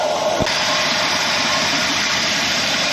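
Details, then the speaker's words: 1966 Ford F100 with 351 Windsor at idle; steady idle with constant airy hiss from a vacuum leak, traced to loose carburetor mounting bolts. "Well, we played around with this a little bit more, and then come to find out that the bolts for the carburetor were not real tight."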